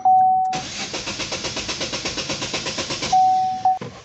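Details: Chevrolet Sonic (stalls above 2000 rpm) cranked with fuel pressure gauge fitted: starter spins at an even quick chug about two and a half seconds but never catches; fuel tank suspected empty.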